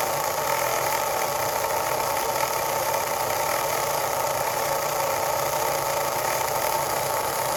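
Continuous rough grinding drone with a steady mid-pitched hum underneath, unchanging throughout; something in the drive is grinding.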